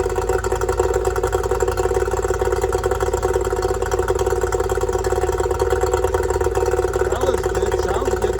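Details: Yamaha two-stroke outboard after fixing oil leaking out of the bottom of the carburetor: no more oil coming out; quick, even buzz holding steady with no stumbles or rattles; normal idle before water test.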